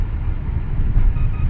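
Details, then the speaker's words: Dodge Intrepid idling after reconnecting cylinder 1 injector accidentally unplugged during coolant bleeder housing job: deep steady even rumble, no misfire, check engine light no longer flashing. "and now it's running fine check engine light's no longer flashing"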